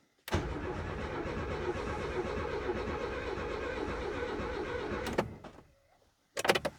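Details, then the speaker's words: Renault 19 GTS Chamade under restoration, freshly filled with petrol, cranks steadily about five seconds with no firing; fuel pump not heard priming though the gauge needle rises; owner wonders if the pump has seized. "I don't hear the fuel pump I do see the needle Rising a little bit but I don't hear the fuel pump priming I Wonder has it seized okay I don't want to burn out the starter"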